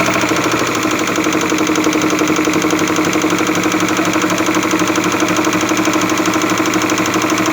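Steady light knock about four times a second over a small three-cylinder idle, sharp and metallic up top, pointing to a worn camshaft.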